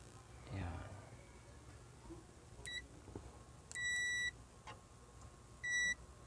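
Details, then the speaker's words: Multimeter continuity test on a buzzing Sakura 733 amplifier: a quick chirp, then two steady high beeps, a false short because the probe was touching the heat sink. "Sayad pala sa ano guys kaya tumunog. Sayad dito sa head sink."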